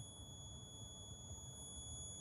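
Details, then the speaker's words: 2012 Daewoo Nexia N-150, 219,000 km, at idle: steady high whistle over an even idle rumble, changes with revs, disappears when accelerating while driving and returns off throttle; owner attributes it to the heater fan/heater radiator, not confirmed. "Выключаем слышите свист это свист вот с радиатора печки слышите Как работает"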